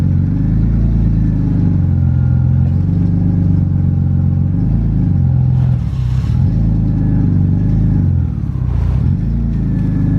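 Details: BMW E36 328i on its old crushed 3-inch cat-less exhaust before the swap to a stock exhaust: a loud, deep, raspy drone at idle with a couple of blips. Harsh and boomy from the damaged exhaust.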